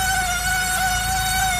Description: 2002 Saab 9-5 Aero Right Front Squeal Sound